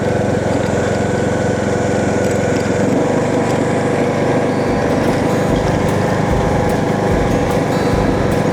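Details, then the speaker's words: John Deere D110 mower, new air filter, before coil replacement, choked, gas smells a little funky: loud steady single-cylinder drone at even speed, no misses, popping or knocking; normal running. "seems to run pretty good. Gas smells a little funky. It might be old gas. Idle's fine. Sounds good."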